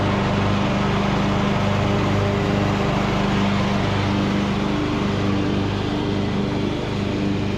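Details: Revived Craftsman YT3000 riding mower, abandoned about 4–5 years, cutting long grass; steady, even engine drone holding constant speed under cutting load, no misses or knocks; judged a nice good-running mower.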